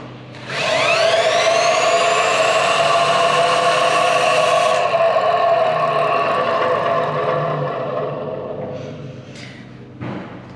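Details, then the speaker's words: Hyundai Ioniq EV traction motor, partly disassembled, rotor turned by screwdriver at the shaft hex: ringing, rough whine rising, holding then fading from one side, confirming the suspected noisy rotor bearing. "vous pouvez entendre comment le bruit vient et encore il vient de ce côté encore"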